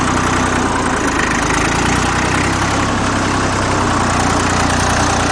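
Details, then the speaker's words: Old Dexta three-cylinder diesel tractor, thought to be a 1950 or 1951, cold-started: a slow, even diesel putter at about 400 rpm with a steady beat and no knocks or misses; a healthy idle. "I don't know. This thing runs at probably about 400 RPMs."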